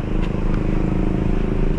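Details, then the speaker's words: 2011 Hyundai Tucson with check engine light, rough idle, heavy vibration and fuel smell: at full throttle the engine drones flat and won't rev past about 2500 rpm, low power; the scanner reports low power. "Pag ni-rev ko, ayan o, sagad na yung mga boss. Yung RPM nya nasa 2.5, hirap sa 2.5."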